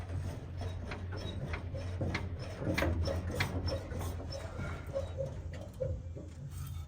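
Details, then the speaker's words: Old classic Chevrolet with shocks and springs mounted inside the chassis; car body rocked by hand gives irregular scraping rub with odd dull knock; shock absorbers rubbing as suspension moves. "sürtünme sürtünme de buradan olacak tabii Tolga amasörler sürtüyor"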